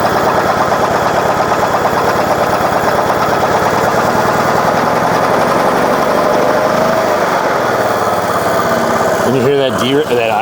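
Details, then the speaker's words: Portable generator at normal economy idle: small engine fires with an even rapid beat then settles to a smooth steady low idle; with idle feature on, the plug light blinks showing output not at a perfect 60 Hz. "that's because this idle features on so this plug is telling you it's a little blinky right here it's telling you it's not at that perfect 60 HZ"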